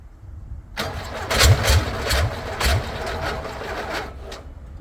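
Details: VW Beetle rat rod, first start after a long build: starter cranks steadily with no firing. It isn't getting gas; only a little fuel squirt is seen at the carb.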